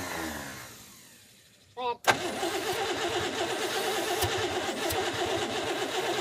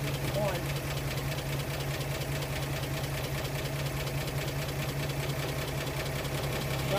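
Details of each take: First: 1937 Pontiac Silver Streak barn find, long sitting, with fuel poured down the carb: starter churns about three turns a second with no catch; cranks but won't start, weak spark, needs the points serviced. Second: 1937 Pontiac Silver Streak barn find, long sitting, after filing and refitting the ignition points: settles into a steady, even low hum with no misses or knocks; fires cleanly and runs smoothly.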